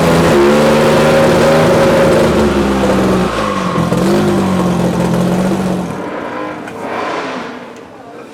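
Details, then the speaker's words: VKM Racing Team drag race car at Alastaro Test & Tune, first start then small load test imitating a launch: hard sharp engine note climbs, holds, drops cleanly without stumble; sounds healthy and promising. "Esimene käivitus on tehtud ja meeskonna soovil tegime ka väikse koormustesti, ütleme siis põhimõtteliselt imiteerisime stardi hetke ja hetkel tundub, et lubab küll head."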